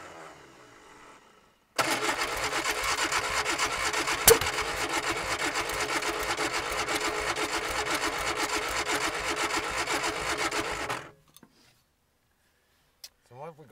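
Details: 1965 Ford Anglia 105E, sat about 20 years in a barn, choke applied: starter churns rhythmically about nine seconds at around two turns a second without catching; cranks but won't start, broken valve spring found.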